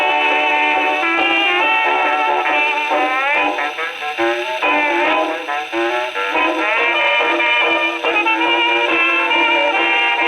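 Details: Second HMV No. 4 reproducer, just rebuilt, comparison test on Victrola VV-50 with brand-new mainspring: clear, lively brass-band playback, no buzz, rattle or blasting on loud notes; tracking cleanly, a decent reproducer.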